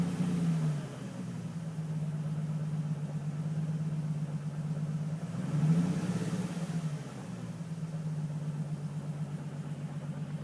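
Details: Nissan 350Z idling in a dark garage: low, uneven, stumbling idle beat with a faint tap underneath after the revs drop back. Owner suspects a misfire with slight knock, not confirmed.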